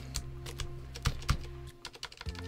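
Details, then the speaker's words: XVX L75 low-profile mechanical keyboard with barely lubricated stabilizers, one side rattly and one not: scattered key presses, some with a thin, hollow tick. Stabilizer rattle/tick from dry stabilizers with uneven tolerances, needing tuning. "oh one side's rattly one's not so why is the tolerance is different on both sides seems kind of odd but that automatically tells me that I'm probably going to have a little bit of ticking"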